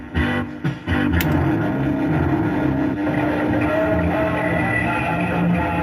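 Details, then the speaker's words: Maygays Italian Job arcade machine, running about 4 hours with door closed, on a replacement game card: steady droning tone stuck on under jumbled game music; sound output garbled while gameplay is fine, cause unknown. "funny thing is though the game play is fine it's just the sounds completely screwed up almost sounds like the alarm Line's jammed on yeah some wrong with the seven"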